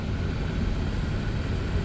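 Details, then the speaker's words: Audi Q7 heater blower motor after removal, cleaning and lubrication, refitted and stepped up through fan speeds to twelve: steady airy rumble, even and smooth, no squeak or chirp for now; squeal later came back, so a new motor is to be fitted. "Пока никаких посторонних шумов не слышно. Печка работает, все дует, все хорошо."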